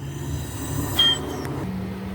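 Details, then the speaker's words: 2010 Nissan Serena C25 MR20DE with P0300 misfire, cylinder 2 leak-down test: steady air hiss at the dipstick tube with a brief whistle, no leakage into coolant; compression blowing past the piston rings. "Alright, so number 2, we're not getting no leaking through the water, but we're getting leakage through the rings, through the dipstick."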